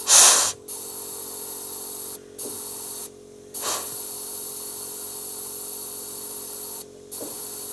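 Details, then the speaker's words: Ford F600 U-Haul truck with plugged fuel system, air blown back through the fuel line from the tank: rushing hiss passing freely with short bursts, no pressure build-up, air splashing in the tank; line clear, no blockage. "let's blow some air back into the line that goes from the tank. If it goes freely, there's no blockage."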